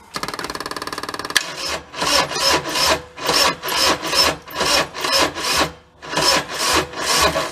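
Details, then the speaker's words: Kubota-diesel Bobcat side-by-side, parked for years, injector line cracked: slow, labouring crank with uneven rasping strokes about two a second, never catching; not enough battery power to spin it, cause suspected not confirmed. "we just don't have enough enough snot to spin it nether but I'm not seeing anything"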